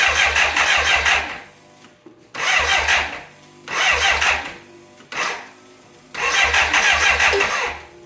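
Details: 1985 BMW K100 with fire damage that sat 6 years, brought in for wiring repair: spark plugs refitted, then four short bursts of starter churning with no catch or firing. Cranks but won't start; a relay with something loose inside was later found and suspected faulty.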